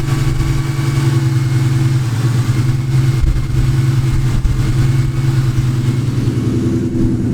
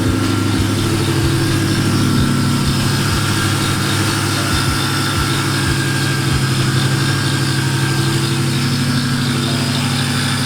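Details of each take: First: Nitrous Ford Mustang after fitting a new belt idler pulley and tensioner to cure a new engine noise: steady, even engine hum with no squeal, chirp or rattle from the belt drive; the accessory drive sounds healthy. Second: Nitrous SN95 Mustang 4.6 idling: uneven low tick about three per second with faint steady whine; suspected belt-driven accessory noise after belt tensioner work didn't fix it, not confirmed.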